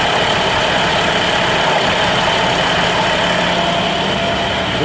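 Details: 2011 International DT MaxxForce diesel in a bus, 83,000 km, after in-frame rebuild (pistons, liners, rings, bearings, rebuilt turbos, new EGR cooler) for no compression and blow-by: steady, even idle with a smooth settled rumble, no knocks or misses; normal idle.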